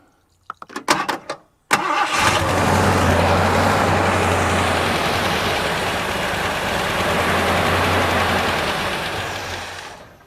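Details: 1982 McLaren Mustang (Fox body) that sat about 30 years, with the fuel line cut and a carburetor bolted on. A few cranking bursts, a pause, then it catches into a steady even idle for about eight seconds; runs fine.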